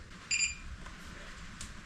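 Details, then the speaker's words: Newly built EEL DIY V5 battery (EVE LF280K cells, JK BMS) switched on for the first time at 99% state of charge: one short, high double-toned beep, then quiet. Normal power-on beep. "oh it turns on nice 99% set of charge that is fantastic"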